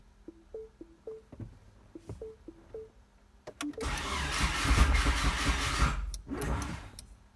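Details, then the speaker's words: 4G63 DSM-swapped AWD Mini Cooper, first start attempt, untuned: door chimes, then the starter spins and the engine sputters without catching; owner suspects an electrical issue and checks voltage; cranks but won't start. "tried to fire though alright we're getting some sputters so we're doing flood clear right now"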